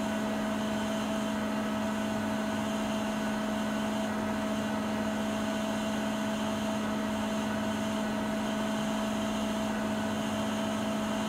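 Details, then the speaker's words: Siemens iQ300 WG41A1X1TR washing machine mid-spin at peak speed, about 72 dB: steady high hum with constant whine near two hundred cycles and a fainter higher tone, even and unwavering; normal spin. "Sıkma işleminin ortalarına doğru sıkma devri en yüksek seviyeye çıkıyor."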